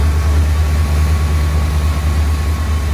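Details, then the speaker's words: 1979 Corvette L82 carbureted V8 after reconnecting a missed vacuum line and lowering idle, with a remaining leak and thermostat now working; steady low rumble, even beat, no stumble; normal idle, still slightly high. "i think the thermostat is actually working now let's give it gas the car is idling nice though lower though"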